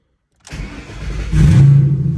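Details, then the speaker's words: Ford Mustang GT 3V V8 (2005–2010) with an ON3 turbo kit: short crank, catches at once and settles into a strong, even idle; clean, healthy start, with heater vent clicking in the background. "See, fires right up. Sounds good."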